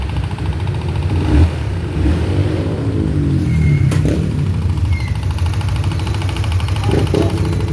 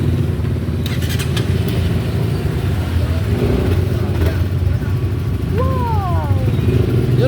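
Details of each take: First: Motorcycle, noisy after a clutch cable replacement, owner blamed the cable: loud, uneven clacking over the idle caused by a loose spark plug cap misfiring; reseating the cap silenced it. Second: Honda CBR single-cylinder after reseating a loose spark plug cap (noise had appeared after clutch cable replacement): smooth, even idle with a steady low thrum, clacking gone, engine healthy.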